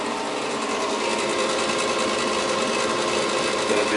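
Rapid ratchety clatter and rough whirring from the draft blower, steady throughout; the inducer motor is failing and needs replacing.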